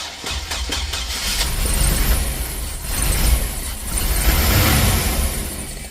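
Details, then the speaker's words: Chevrolet Express with crank-no-start and smoke from the distributor, after fitting a replacement distributor: engine fires and runs with a steady low rumble, revs rising and falling slightly; starts and keeps running, distributor believed the problem. "so I think it's uh distributor is the problem"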